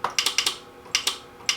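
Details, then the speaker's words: Music & Sound N350 intercom master station, reportedly lightning-damaged about 20 years ago, powered through its transformer with no display and no radio sound: pressing the door, talk and listen buttons gives crisp relay clicks with no chatter, so the relays switch normally. "if you listen you can hear a relay click we do talk and listen another relay clicks so that's good"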